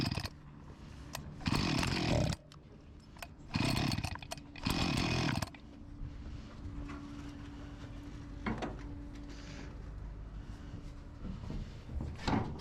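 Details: Husqvarna 254 G chainsaw, after fuel line replacement, before carb membrane and O-ring renewal: catches and screams in short bursts, each time sagging back to a low mutter; starving for fuel.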